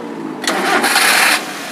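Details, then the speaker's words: 2011 Daihatsu Gran Max 1.3 pickup, engine start and idle: catches quickly with a brief rev burst, then a quiet, even idle without knocks or misses; engine smooth, only a slight valve cover gasket seep noted. "Nah kalau dari mesin ini sebenarnya mesinnya masih halus ya mesinnya masih alus masih enak tenaga juga masih ngisi gitu tadi kita geber juga enak"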